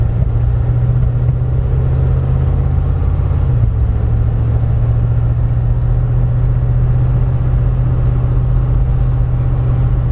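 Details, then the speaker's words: 1983 Jeep Wagoneer, engine rebuilt twice after catastrophic failure, still in break-in, cruising gently down the road: smooth, even low drone with no knocks, misses or surging; runs like it should. "we get to actually go drive this Jeep and it's not broken, the engine's not failing and doing weird stuff. It runs like it should."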